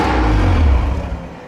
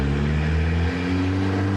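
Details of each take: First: Mitsubishi Evo 8, after modifications and lower timing belt cover install: idles briefly then loud rough lurch that sags and dies within two seconds; crank position sensor rubbed by trigger wheel, later cranked but wouldn't start. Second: Rusty Mitsubishi Evo 8 with 4G63 engine, 200,000+ miles; steady note with gentle rise and fall in revs, firing evenly on all cylinders, no misses or knocks, health not yet fully diagnosed.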